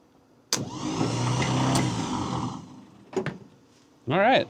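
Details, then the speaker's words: 1961 Buick LeSabre nailhead, first start attempt: steady whirring drone persists after cranking then clicks, starter stuck engaged and not disengaging; solenoid usually suspected, not confirmed. "Sounds like the starter stuck there. These are nice and hot. Let me just go ahead and turn this off cuz wow. So the starter didn't disengage. That's usually [snorts] the solenoid."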